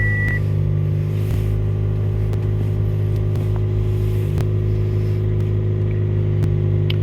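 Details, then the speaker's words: Toyota Yaris track car just after installing an FTG reflashed ECU, first start, ECU still relearning idle: even steady idle, smooth low hum, no misses or knocks; fired right up, normal idle. "right up, no problem at all. Sounds good."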